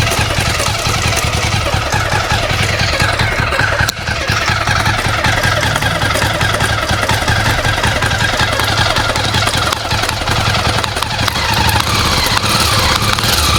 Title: Jawa engine noise problem??